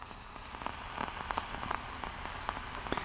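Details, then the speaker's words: LM1875 amplifier IC on an 8-ohm load, no input signal: random crackling popcorn noise over hiss that persists at any supply voltage; defective chips all from the JM5-numbered batch. "doesn't matter what Supply voltage yeah I can turn it up turn it down it stays you still get that noise"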